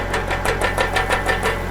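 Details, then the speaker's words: Tractor with a newly hooked-up 3-point log splitter, no PTO pump or auxiliary hydraulics, engine revved to purge the system: rapid hissy chatter, about six pulses a second, over the engine as air moves through the fresh hydraulic lines. Air in hydraulic line. "So there's probably some air in the line. Let me rev it up a little bit. Go ahead. Yeah, that seems like air to me."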